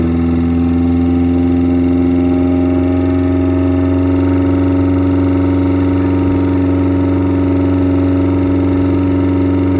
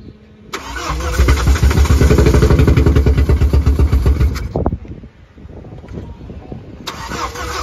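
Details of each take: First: Car after removing a piece of plastic stuck in a pipe to the fuel float that restricted fuel and kept the regulator from holding the needed 6 bar: steady, even idle with constant tone, no hunting or sputter; running consistently now. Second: so note this how the car only starts after you've built up enough fuel pressure so what happens is the fuel regulator shows us that the car bolts up it's six it's the necessary six bar pressure and then as soon as you start the car it will idle for a few seconds and then it loses the fuel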